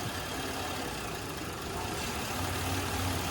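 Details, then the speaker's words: Buick 3.9L V6 with propane fed into the intake to over-enrich the mixture: quiet idle turning rough and stumbling at about 3–4 pulses a second, and the engine eventually dies. "you can hear the rough idle takes a little bit of time but eventually with too much propane in the system the car will cease to run there"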